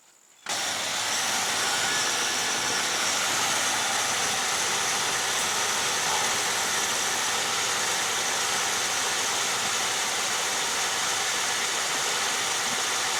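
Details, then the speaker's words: 1982 Jeep Cherokee 258 straight six with a new replacement carburetor, ECM-controlled adjustment eliminated: catches within half a second and settles into a steady, even run with no misses, knocks or hunting; healthy engine. "So, I'm going to fire it up here and let you hear it run cuz that's all that's left."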